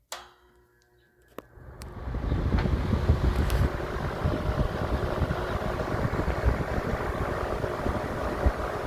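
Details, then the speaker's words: Vintage Emerson 20-inch electric box fan, spring 2024 start-up: switch click, then a steady low whoosh builds and holds evenly with no ticking or wobble; fan runs at a nice steady speed. "that's nice I think light Miss some nice steady speed"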